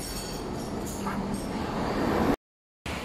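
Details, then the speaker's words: 2015 Mitsubishi Mirage hatchback after a front wheel bearing replacement, on the road: even rolling roar with no hum or growl rising with speed; the humming is gone and the bearing sounds healthy. "At naayos na din. Wala nang ingay na ugong."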